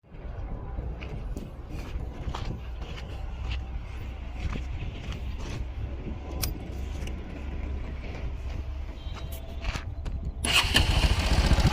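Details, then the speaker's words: Bajaj Pulsar NS 125 single-cylinder bike idling with a fast, uneven metallic ticking over the low thump, caused by a loose timing chain tensioner. "ఈ ఇలా engine sound ఉందని మన దగ్గరికి అయితే తీసుకొని వచ్చారు అలా రావడానికి గల కారణం ఏమిటంటే లోపల ఉన్న టైమింగ్ చైన్ టెన్షనర్ వాల్స్ దీనికి లూస్ అవ్వడం వల్ల మనకి ఆ సౌండ్ అయితే క్రియేట్ అవుతు"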